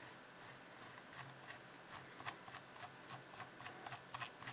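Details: Razer Mamba mouse scroll wheel turned: sharp, dry, cricket-like high chirps, three or four a second; squeaking scroll wheel.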